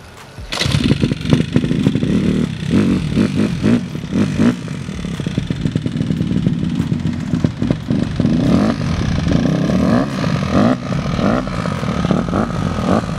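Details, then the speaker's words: Honda CRF150R four-stroke dirt bike, first start after a full head rebuild: runs unevenly, firing stumbles and lurches instead of holding a steady beat; rough running, cam possibly too tight, cause unconfirmed. "mean, it runs. Doesn't run well, but it runs."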